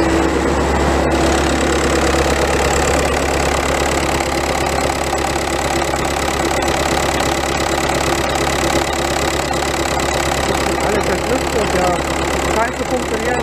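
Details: VW Golf 1.9 TDI Pumpe-Düse, around 2007, after injector Viton seal replacement for crank-no-start: even diesel clatter at steady idle, about two beats a second, no misses or stumbling; problem appears solved.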